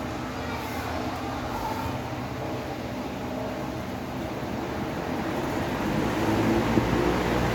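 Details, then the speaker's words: Electric fan that seized on startup despite a new shaft and bushings, after reassembly with the loose front washer refitted: steady, even motor hum with a faint low beat, picking up slightly, no rubbing or scraping. Noise gone; spins freely; normal running after repair. "bueno ya no se escucha el ruido castilla y si gira recio vamos a y probar de nuevo otra vez ya no es el ruido gira libremente"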